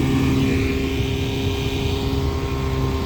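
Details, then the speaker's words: Evinrude 5.5 hp outboard from about 1961–64, bought as a non-runner, on a boat at full throttle: steady, even buzzing drone of constant pitch with no misses or knocks; running cleanly. "and we're not going too bad really. I'm actually in debate whether this is quicker with this boat than my 6 horsepower, to be honest."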